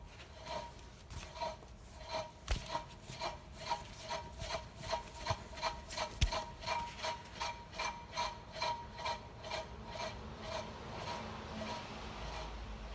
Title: How to detect bad wheel bearings